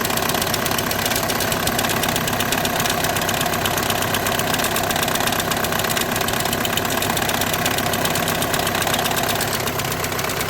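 At idle a rattly, uneven knock about twice a second sits over the engine, pointing to clutch plate or bearing vibration in the DSG.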